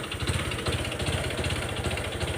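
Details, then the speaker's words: Honda Wave 125 (whale model) motorcycle revved at idle: deep regular knocking, about two to three thumps a second, plus a high whine; connecting rod big-end bearing failed, rod previously pressed once, now full replacement planned; piston/rod may lock if ridden. "แค่นี้ก็รู้นะนี่เสียงก้านก้านกลางมันพังครับแล้วก็ทิ้งแหลมวิ้วๆๆนะครับ"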